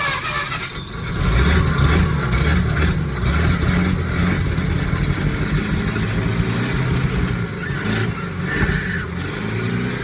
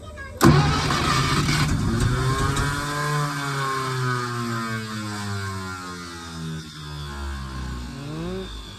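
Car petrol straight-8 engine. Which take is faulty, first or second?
second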